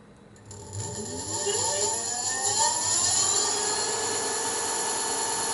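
A clean whine climbs smoothly in pitch as the motor spins up, then holds steady with no cutting out or grinding: controller driving properly.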